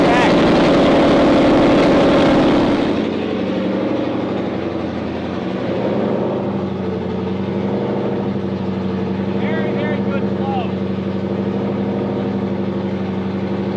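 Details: Freshly refreshed 2011 Ford Mustang GT, new Coyote V8, first startup before the dyno: extra idle air added, even fast V8 burble at about 1100–1400 rpm, still slightly high idle; wideband sensors not reading, headers getting hot.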